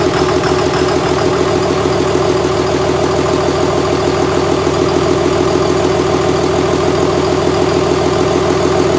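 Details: 2001 Cummins dually pickup diesel, rebuilt after its original 53 block cracked at about 240k miles: 56 block with fresh rings, gaskets and bearings, 53 rotating assembly, 50hp VCO injectors. First start after the rebuild, at idle. Steady, even firing with no knocks, misses or hunting; normal idle.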